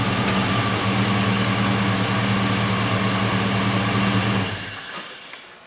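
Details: 2000 Silverado 1500 Z71 5.3 V8 after a new belt cured a persistent squeal; the old belt was possibly stretched. Smooth, steady idle with no squeal or chirp, then shut off and winds down; the belt drive is quiet.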